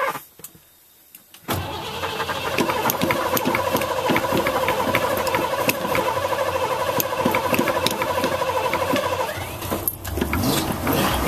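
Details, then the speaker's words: 1987 Ford F350 cold start after sitting a while, with a couple of pedal pumps before cranking. It catches, then idles with a slight uneven flutter that settles, and gray smoke is seen. Cold-start idle flutter, cause unclear. "Oh yeah, it did flutter a little bit. See some gray smoke."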